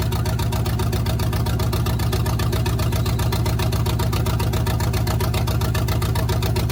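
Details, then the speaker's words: 1971 GMC truck V8, hot, just after installing block hugger headers: a lumpy, loping idle with an uneven beat, like one cylinder dropping out. One plug was found wet and not firing; the owner suspects an ignition problem. Rough idle misfire. "so looks like we're running on five cylinders which very well may be an ignition problem than it most likely is"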